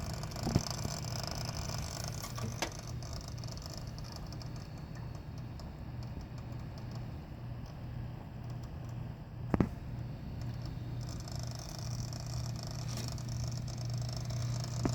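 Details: Asetek 550LC 120mm liquid CPU cooler: steady pump hum with an uneven rattling patter and clicks, which stops when the computer is tilted. Owner suspects air bubbles in the tubes or another problem, not confirmed.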